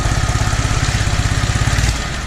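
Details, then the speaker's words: Toro 2CV after carburettor rework: steady chugging idle then beat falters and fades as throttle opens, engine bogs and dies; flat spot remains, owner suspects primary choke not working properly. "No, it still dies when you open the throttle. So we've still got a flat spot on it. I still don't think the primary choke's working properly."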